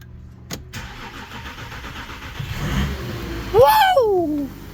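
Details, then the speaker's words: 3.0 TDI diesel after high-pressure fuel pump conversion following a blown CP3, no coolant in system: cranks briefly, catches and settles to steady, even idle, no misfire, knock or fuel leaks; normal start. "no fuel leaking there it's right running life is good"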